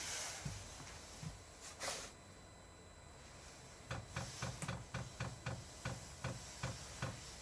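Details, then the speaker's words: Chinese all-in-one diesel parking heater in shuttle bus RV conversion, first startup: soft fan rush, then quick even fuel pump ticking as it fills the fuel line before igniter fires; normal priming startup. "There goes the pump. It has to pump that fuel line full. As soon as it gets fuel, the igniter will go off and it'll start up."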